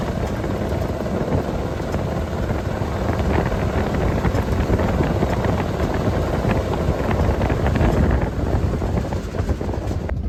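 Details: 1979 Jeep J20 with AMC V8 and dual exhaust, sat a year, low compression; low lumpy uneven rumble under wind noise, stumbling; misfire from low compression.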